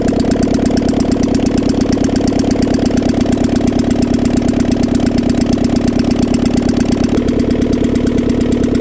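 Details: Civic's G23 VTEC engine (H22-type) idling with the exhaust manifold off after new Skunk2 lost motion assemblies: a quick, even tick over a loud, raspy idle. It has ticked since day one, the new assemblies didn't fix it, and the owner wonders about knock or piston slap.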